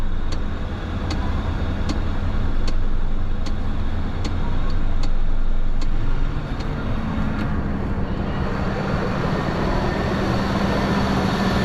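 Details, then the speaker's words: Cheap SUV after a new pulley and belt were fitted: low steady engine drone with a light regular tick about three times a second; sounds better than before but still rough, cause not pinned down; motor mounts also need replacing. "still doesn't sound great that sounds better than it did see what happens when I give a throttle"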